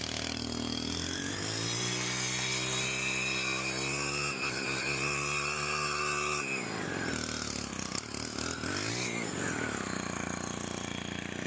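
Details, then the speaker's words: STIHL FC 90 edger after a general service and tune-up, primed after sitting, first pull: it revs into a clean, steady high whine and drops back smoothly, with less vibration than before; normal running. "It's not vibrating as much. Took a lot of that vibration out of there, which is good."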